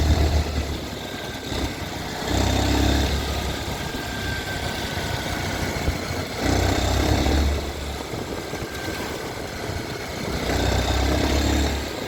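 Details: Mottu TVS Sport 110 small single-cylinder motorcycle idling unevenly with a loose, irregular patter and a swelling roar every few seconds; strange engine noise, cause unclear.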